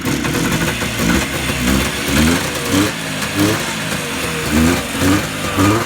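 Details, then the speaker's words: Yamaha Enticer 300 two-stroke snowmobile, year unknown, 120 psi per side, restarted once fuel reached it; crisp throttle blips, revs rise and fall cleanly without bogging or misfire, running normally. "Well, that seems to work okay. Good stuff."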